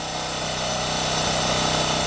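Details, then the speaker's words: Champion generator, about 3000 hours, original spark plug, after no-start fixed by checking fuel lines: steady, even constant-pitch drone under load, no hunting or surging; running okay now, owner suspects fuel distribution issue or bad fuel. "i think it's running okay now some kind of fuel distribution issue or bad fuel is what i would say"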